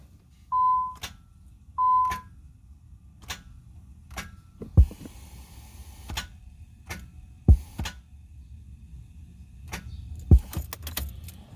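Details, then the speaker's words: Nissan 300ZX with the clutch pressed: two warning chimes, then single sharp clicks at each key turn with no cranking. The original starter isn't engaging the flywheel, apparently lacking power, and it was replaced with a new one. "mainly what the issue is is the starters not engaging on the flywheel and basically you're hearing that clicking sound as in it doesn't have enough juice to basically turn the flywheel"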